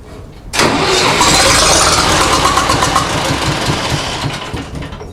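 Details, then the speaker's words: 1960s Massey Ferguson 165 petrol tractor cranks, coughs briefly and fades without catching; carburetor fuel not flowing fast enough, needle possibly stuck; later fires with carb cleaner sprayed in; cranking, no start from fuel starvation. "And I really don't think it's flowing fast enough, but that's okay."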